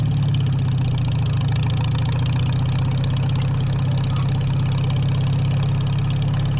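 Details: 1949 Farmall H tractor restarted after sitting roughly 10–20 years: deep, even idle with a steady low drone, no knocks or misses, running smoothly under slight load; sounds more loaded but smoother. Normal running.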